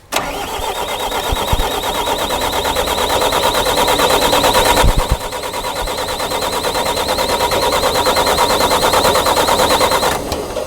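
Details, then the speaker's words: Mitsubishi diesel with freshly rebuilt bottom end, bleeding fuel: steady starter cranking about three turns a second for ten seconds with no firing while the filter fills; fuel not yet reaching injectors. "no nothing there yet are we there yet oh you hear that we're filling the filter"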